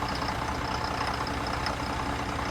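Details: Chevy Silverado idling in reverse, check engine light on: uneven idle with fast irregular ticking chatter over engine hum; rough idle, suspected misfire or low oil pressure, not yet diagnosed.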